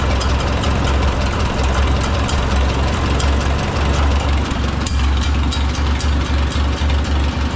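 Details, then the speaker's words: Oliver 66 tractor with replacement Marvel Schebler TSX carburetor, idle tuned slow to work out exhaust cap chatter: slow, even low chuff with steady beat, no misses or stumbles; normal idle. "But I normally like to get it where you can get most of that exhaust, or get most of that cap chatter out of or worked out of it."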